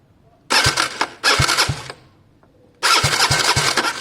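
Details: Gilera DNA 125 non-starter: short bursts of starter whirring with the engine turning over in uneven pulses, never catching. Spark tested good, so the plug or fuel delivery from the pump to the carb is suspected.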